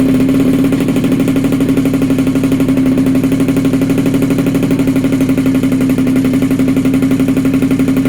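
High, buzzy two-stroke drone holding one steady pitch with a fast, even pulse and no knocking or rattles; a small engine running steadily.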